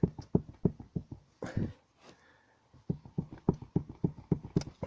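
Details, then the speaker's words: Citroën C4 hatchback: hollow metal-on-metal clunks in quick, uneven bursts from the rear of the cabin. The rear seat mounting bracket is knocking against the body, worn through to bare metal. "звук это похоже крепление самой сидушки вот там где-то вот он этот злосчастный звук"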